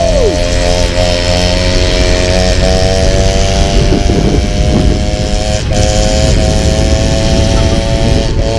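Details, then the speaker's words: Peugeot 103 moped, two-stroke with custom exhaust, warming up: loud buzzy note at high steady pitch, clean firing, no knocks or rattles; lively, strong engine. "Wouh! Elle est nerveuse, on le sent. Il y a un bon moteur."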